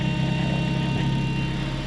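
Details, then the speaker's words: Supercharged Acura RSX Type-S idling with exhaust ripped apart after racing a Mk4 Supra, needing the piece welded back: loud, coarse, raspy rough rumble instead of muffled hum; exhaust leak from broken pipe before the muffler. "Oh no, I just hope they gonna fix this. This just sound ugly. That bitch sound ugly. You say this sound ugly."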